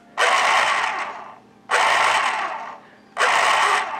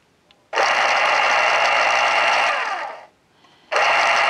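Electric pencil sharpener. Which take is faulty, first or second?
first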